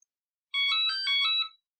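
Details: Hoverboard Scooty R12 with a blown capacitor and a battery that won't charge, switched on with the charger connected: a clean, high electronic chime of a few quick notes lasting about a second. It is the normal power-on tune.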